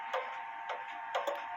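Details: Clock with pendulum on, out of beat; sparse irregular ticks, bunching then pausing, no steady tick-tock, may stop; pendulum leader wire suspected touching the crutch assembly, crutch bent to correct.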